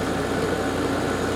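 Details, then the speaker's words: Garage A/C at its first start-up of the season, fan and compressor starting together: smooth, steady hum with no rattles, buzzing or cycling; heat coming off it, fan much better after new capacitors replaced, normal running. "yeah there's definitely heat coming off of it sounds fairly happy fan sounds great compared to what it was so those new capacitors did the trick"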